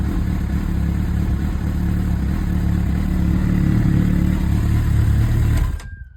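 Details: Honda CB1000R with Dynojet system, owner's phone clip of no-start after collection: catches and runs with low, uneven rumble about six seconds, then dies.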